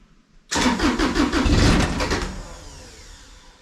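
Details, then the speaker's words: Bomag BMP8500 roller diesel, cold: cranks about a second, catches briefly, then dies; idle set too low for the cold engine to stay running, throttle solenoid linkage to be adjusted for more rpm. "cuz essentially when it's cool and it hits down close so when it's set to idle it just dies it just doesn't have enough idle to stay running"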